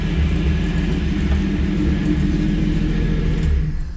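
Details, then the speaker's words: 1981 Chevy C10 squarebody, warm, in gear: deep rumble with uneven, lumpy beat and brief dips as throttle is worked; stumbling rough idle, owner suspects exhaust leak, one hard-to-reach bolt not yet tightened. "I feel like it was smoother than that in gear, but it may not have been. So it is stumbling when you do that."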